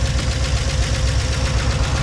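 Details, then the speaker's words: Chevy Tahoe idling cold after an oil change and spraying out the bottom end: fast, even rattling ticks over a low idle rumble. Owner suspects lifter tapping or rods, with the bottom end worn by water-oil contamination. A head gasket sealer appears to be holding. "The truck now, since I changed the oil and tried to spray out the bottom end some, is now making a lot of noise. Lifter tapping, could be rods, I don't know. It's making a lot of noise in the engine, a lot of rattling."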